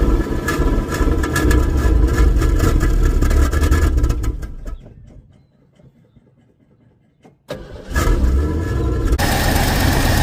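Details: Partially restored classic Ford, first run after replacing a hardened carburetor accelerator pump: engine cranks, catches and runs with a deep steady rumble, dips briefly, then picks back up and keeps running.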